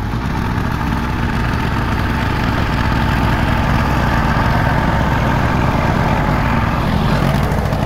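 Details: Allis Chalmers 712H hydrostatic garden tractor running under load while tilling with the tiller attached, after bevel gear box shaft play and hydrostatic check valve repair; steady even drone with no knock, slip or grinding; normal running.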